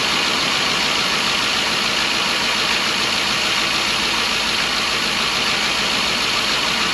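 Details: 2012 Ford E350 van, about 170,000 miles, after replacing a coolant-leaking intake manifold (coolant in cylinder 3 and 4 plug wells, intermittent misfire) with a Dorman part: steady, even idle with constant hiss, no knocks, stumbles or surges; normal idle.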